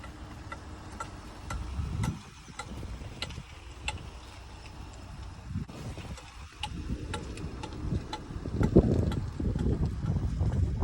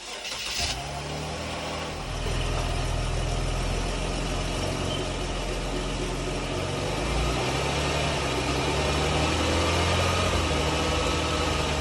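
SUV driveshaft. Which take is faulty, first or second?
first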